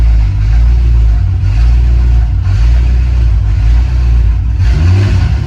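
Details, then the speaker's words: BMW F10 M5 twin-turbo, first start after a valved exhaust was fitted: a deep idle that revs up and down by itself about once a second. Owner suspects a vacuum line disturbed during the work; the fuel gauge also reads empty despite fresh fuel. "Something's not right. For some reason the revs are it's just revving weirdly by itself."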